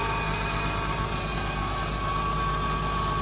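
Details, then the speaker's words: 2008 Mercedes C300, engine idling just after topping up power steering fluid (suspected leak near hose or pump): thin steady constant-pitch whine from the power steering; steering now smooth. "You hear that whining noise? That's coming from power steering."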